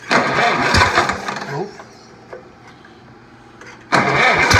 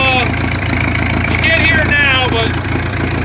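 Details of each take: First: Oliver 60 tractor: starter churns, engine catches and runs, then speeds up with no throttle input; owner suspects a fault in the governor linkage, not confirmed. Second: Old Oliver 60 tractor, freshly fired up with clean fuel and lead additive: steady low idle with even firing, no knocks or misses, settling smoothly after a cold start; owner later suspects a governor linkage problem.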